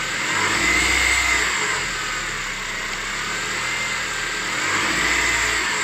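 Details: 2006 Honda CR-V K20A4 engine running, odd noise most pronounced at 1500 rpm; steady run with a thin whirring whine on top, cured by repairing the alternator and power steering pump and replacing the water pump: accessory drive bearing noise.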